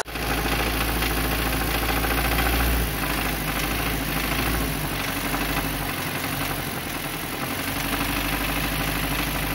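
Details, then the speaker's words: Nissan Terrano petrol engine idles roughly with a dry, busy rattle from a slack, stretched timing chain; noise grows as throttle is raised; timing chain replacement needed. "Jadi suara tadi itu sebenarnya yang bunyi adalah suara ini pak yang mengendur Hai jadi ketika dia tambah gigas dia akan tambah suaranya gore"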